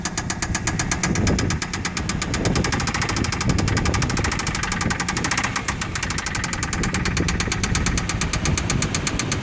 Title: Mitsu engine knock